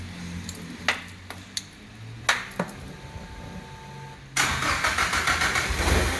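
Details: Datsun 510 now running on all four cylinders after injector testing: a few clicks and clunks, then it catches cleanly and settles into an even, steady idle.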